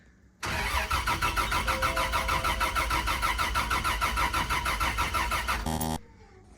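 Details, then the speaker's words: FZ turbo engine in the 80: the starter churns about three beats a second for five seconds with only a brief ragged catch before dying; misfiring because the coil pack wiring was reversed, after crank/cam sensor wires were also suspected swapped. "so I noticed I had all the coil pack wiring somehow backwards and then when it was trying to fire before and it was misfiring"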